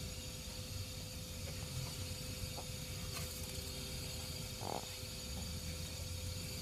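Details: Constant faint hiss with a thin steady tone whenever the fan is plugged in, even when stopped by hand; the noise disappears when the fan is unplugged. Electrical noise, cause unclear.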